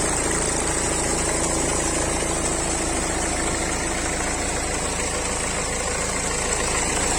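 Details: BMW 3 Series cold start after sitting unused a long time during lockdown: a steady idle with a quick, fairly even knocking tap about three per second; engine knocking at cold start, cause unknown.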